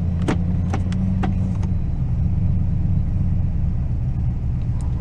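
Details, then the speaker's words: 2004 Toyota Tundra at idle, idle seemingly high: deep rumble with a slight unsteady stumble and a few clicks, engine breaking up; check-engine light flashing, scan shows random/multiple cylinder misfire plus O2 sensor codes, cause not yet found. "it runs very rough idles very wrong i can feel it right now if i'm hitting it he's breaking up"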